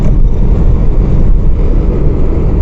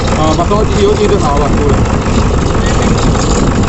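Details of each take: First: Toyota Innova diesel, after fixing second sensor wiring fault that caused the malfunction light: steady, even low diesel idle with no knocks, misses or surging. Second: Toyota Innova diesel with malfunction light on and strong engine vibration: loud, coarse idle with uneven, shaky churn; rough running traced to a damaged sensor wire.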